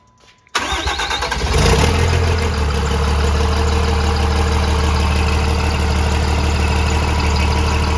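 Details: Truck with newly swapped 6.7L Cummins replacing 5.9L, first start after oil leak fixed with welded plug, no turbo kit yet: brief crank, catches straight away, steady even diesel idle clatter; normal.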